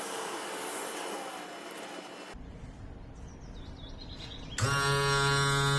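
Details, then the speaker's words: Yamaha F40 outboard power trim, previously very slow and loud, after repairing the trim leaks, trim cap and motor: the trim motor runs with a smooth, steady, constant-pitch hum, no labouring or grinding; ready. "Excellent, it's done. You can understand from that sound that this is ready."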